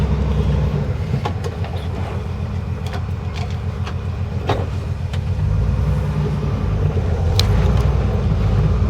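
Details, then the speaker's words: Jeep CJ5 with a leaking AMC 20 axle seal, started and driven into the shop: deep, steady engine rumble with no knocks or misses while creeping along; owner says it cranks nicer than before; runs smooth and healthy. "oh listen to that oh my God it cranks so nice it didn't quite this good when I drove it out all the time"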